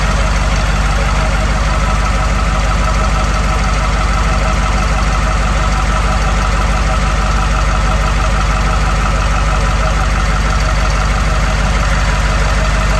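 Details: 1982 Wanderlodge FC bus diesel, running after injector pump replacement and a fixed shut-off solenoid electrical issue: steady, even rumble, regular beat near two per second, no misses or knocks; running smoothly.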